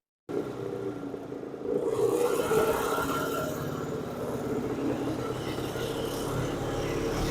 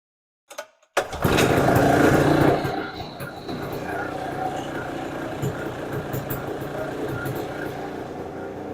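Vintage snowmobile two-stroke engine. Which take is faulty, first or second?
first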